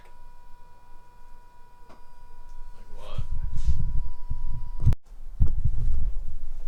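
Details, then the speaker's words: Mazda RX-8, half-bridge-ported Renesis rotary on Adaptronic ECU, second start attempt after install: heavy, uneven low starter churning for seconds with no catch; cranks but won't fire. Owner suspects the Adaptronic tune is missing or unsuitable. "Alright, so we are having an issue with it starting, so I pulled out the Adaptronic."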